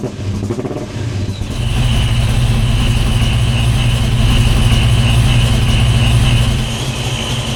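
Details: Modified Foxbody Mustang V8, first start on new custom stainless exhaust with oxygen sensor fitted, holes sealed, clamps tight: quick crank, firm catch, deep steady burble, no exhaust ticks or puffing leaks; normal start and idle.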